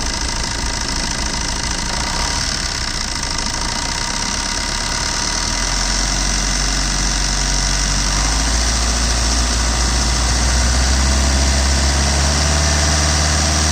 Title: Swift VDI, Red color, DL9, Engine noise.